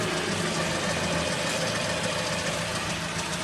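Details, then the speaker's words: Pickup truck front wheel, tire removed, hub spun by hand: continuous rough low growl, a rumbling purr that gets louder with speed, no knock pattern; worn front wheel bearing. "que el problema está en el balero. Al momento de al momento de girar se oye esa especie de ronroneo ronquido. Ahora con la velocidad pues se escucha todavía más fuerte."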